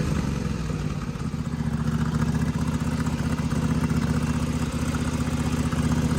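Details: Small engine on a mud mower with an oil-packed turbo, restarted after a turbo oil change. It seemed short of fuel pressure until the filter was checked, then keeps running with a steady low thump about four beats a second, slightly uneven; no leaks.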